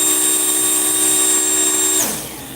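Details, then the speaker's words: Slot car after racing, previously faster but now slowed to about 3.8–3.9: steady high motor whine for two seconds then winding down, pitch lower than it should be; slow-running motor, cause to be investigated. "This car was even faster, but I noticed it has slowed down. It's like a 3.8, 3.9 now. And you can hear it just doesn't sound as fast."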